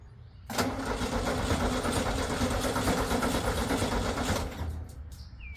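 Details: VW with a straight-pipe exhaust, first startup on starting spray; no fuel pressure, possibly a bad fuel pump, which still has to prime the line. Catches and roars loud and uneven about four seconds, then quits. Runs briefly, then dies.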